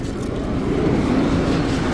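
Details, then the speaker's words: Subaru Sambar crane mini truck engine idling: steady, soft low rumble with no knocks, ticks or hunting; small petrol engine running smoothly and very quietly. "And that motor is just listen at it. It's just running. You can't even hear it."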